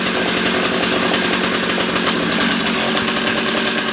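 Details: Old two-stroke ice auger after a carburetor low-jet adjustment that cured it dying out: loud, buzzy note holding steady at high revs without surging or cutting out; running properly.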